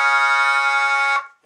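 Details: Jensen V21 Leslie upper horn driver fed a 1963 Hammond B3 organ through a 122 amplifier: a held note comes out harsh and buzzy from a rattling diaphragm, clearing somewhat on higher notes, before the diaphragm is reset.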